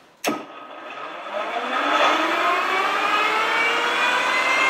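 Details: Rolls-Royce Dart turboprop dry cycle on 24 V, 500 A battery supply via start panel relay: sharp click then smooth whine climbing steadily as the starter spins the turbine freely, no rubbing or grinding.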